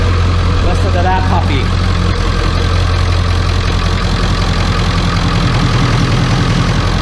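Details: 1995 Ford F-250 7.3L Powerstroke diesel, previously a no-start, now idles with a deep, steady clatter and even beat, no misses, a little smoky, after a new glow plug relay cured the no-start.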